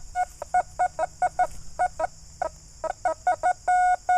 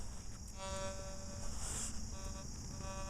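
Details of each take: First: Metal detector (Fors Core, iron mask set to 35) reads high 80s, sometimes dropping to the 50s, with sharp mid-pitch beeps, some doubled, on each sweep; an odd signal that turned out to be a thin aluminum tag. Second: Fors Core metal detector switched from silent DI3 modes into general all-metal mode, volume turned low: a faint, thin, steady threshold tone hums in and out. Normal threshold.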